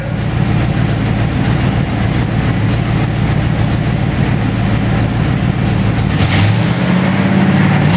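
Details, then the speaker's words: 1928 Dodge rat rod on first start with its new custom 2.5-inch mandrel-bent exhaust. A loud, choppy idle with sharp ticking puffs and a rough blip comes from exhaust leaks at the headers, which have no gaskets fitted. "got a bunch of exhaust leaks because i got no header baskets but i like the sound she sounds pretty"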